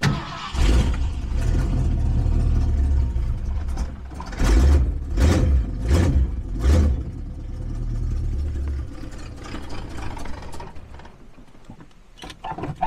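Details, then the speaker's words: 1968 Ford Ranchero, 289 or 302 V8, long parked, bad exhaust leak, dry dirty fuel filter: repeated cranking bursts, engine catching briefly and coughing then dying; hard starting. "Let's try to fire it up. Oh, listen to that. Oh, we died. Third try."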